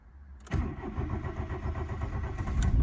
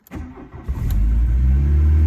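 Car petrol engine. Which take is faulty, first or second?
first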